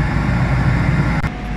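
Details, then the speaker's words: JinYoung surface grinder, hydraulic unit switched on; steady, even low hum with no knocks, surges or rattles; normal running. "ਅਤੇ ਇੱਥੇ ਅਸੀਂ ਸੁਣ ਸਕਦੇ ਹਾਂ ਕਿ ਇਹ ਕਿਰਿਆਸ਼ੀਲ"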